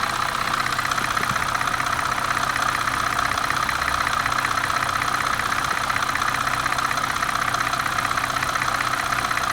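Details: 2004 Cadillac CTS petrol engine at idle with a fast, light ticking, about four ticks a second, from the passenger side; at times it seems to want to stall but doesn't; cause unknown.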